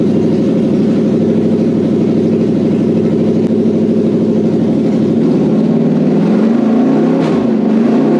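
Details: Toyota 3UZ-FE 4.3 V8 running on a test setup with an air intake fitted, after an ECU reflash and immobilizer delete. A steady, even V8 beat with no misses or knocks, then revs climb smoothly after five seconds: normal running.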